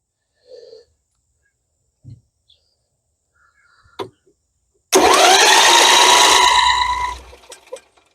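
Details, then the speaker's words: MTD 21hp lawn tractor, Briggs & Stratton V-twin said to have a blown engine, spark check on right side: quick even cranking about two seconds that never catches and winds down; spark very weak. "now let's check for spark that zoomed in there pretty good I am on the right side of the engine and I See [Music] Spark albe it very weak"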